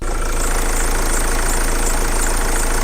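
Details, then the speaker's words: 2010 Mercedes Vito 2.2 CDTI diesel, warm engine at idle: thin, high, wavering squeal over steady idle from dry idle pulley; much worse when cold; WD-40 spray silenced it. "it's not too bad because the engine is warm, but when it's cold though, it squeaks very badly."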